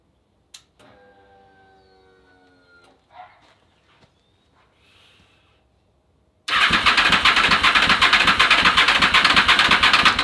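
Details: Honda VFR/CBR hybrid with V4 engine and custom LexTek exhaust, first start after long storage and a fix for a blowing VF-harness fuse; fires instantly into a loud, fast, even run, no misses or knocks.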